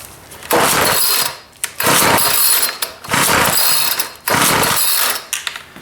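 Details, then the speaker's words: Ryobi 725rE two-stroke string trimmer, primed: four rasping recoil pulls about a second apart with no firing; cranks but won't start, fuel leaking from a petrified fuel line. "oh we are leaking gas what do we got where is it coming from you probably can't see it but down here we have a slight leak with the fuel lines"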